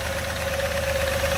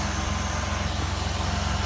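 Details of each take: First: 2003 Jeep Liberty V6, hard to start and needing some gas: a rough, stumbling idle with a heavy knock, running on four or five cylinders. The engine is knocking and misfiring at idle and is being replaced with a swap motor. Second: 2003 Jeep Liberty 3.7L V6 donor engine, running before removal from a Jeep with a bad transmission: even idle with a steady low pulse, no ticking, knocking or misfire. Normal idle.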